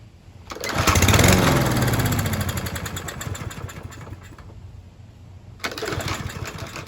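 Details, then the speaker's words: Troy-Bilt TB110 push mower, Briggs & Stratton 550 E engine, freshly refilled with 16 oz semi-synthetic oil and Seafoam-treated gas: tough to start, catches with a loud surge, then a chugging beat that wavers and sags. Rough idle, cause not confirmed. "All right, that was a little tough to start up initially, but once it was going, it ran pretty good. It was a little rough idling, but it wasn't too bad."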